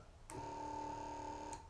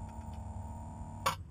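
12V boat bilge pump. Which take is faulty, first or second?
first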